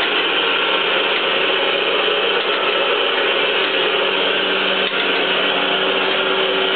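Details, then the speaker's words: 3B71M (3G71) surface grinding machine after hydraulic cylinder repair with replaced bent rod and damaged piston: even steady hiss without knocks or surges, no oil leaks; normal hydraulic table traverse. "So I just finished the parts and I want to check how run the table up [Music] oil hydraulics around the smoothly better than [Music] before."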